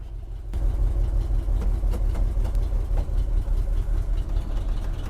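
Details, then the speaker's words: 1976 Jeep J10 with 401 V8, off the road 29 years, running on an inline electric fuel pump and boat tank: sharp puffs tick in time with firing over a deep, loud idle from a blown passenger-side collector gasket exhaust leak. "It's got a huge exhaust leak on the passenger side, the collector donut. That little gasket in there is gone. So, it's just shooting out the side."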